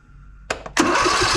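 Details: Simplicity Regent S mower with a no-start issue and a sluggish 230 CCA battery, jump-started with a booster: a couple of starter clicks, then it catches at once and settles into a steady, even beat. Normal start and idle.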